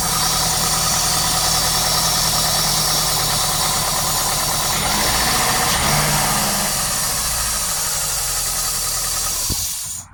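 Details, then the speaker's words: 2002 PT Cruiser after repairing a blown-out spark plug thread with an M14 x 1.25 Perma-Plug insert: smooth, steady idle with even beat, no popping or chuffing from the plug hole; running cleanly, repair successful. "No, that sounds good."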